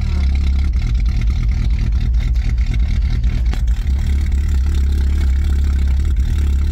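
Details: "Rescue" Tercel wagon (1983) just after a cold start at about -6°F wind chill after sitting a couple of weeks; deep, steady, even chugging idle with no stumbling; normal cold idle.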